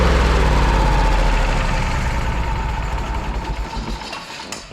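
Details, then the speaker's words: Kohler CH750 twin in a Miller Trailblazer 302 AirPak welder, after the owner's repair: a steady even low thrum with no knocks or misses, then the engine winds down. It sounds pretty much identical to the other welder. "they sound pretty much identical now Mike wins Mike one again this is awesome"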